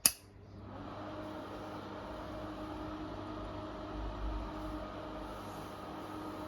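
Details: Intervent NVF100P 4" axial pullcord extractor fan, 220–240 V AC, new, running with the front cover fitted: steady airflow hiss with a constant motor whine and even hum, no rattles or scraping. Running fine, just whiny.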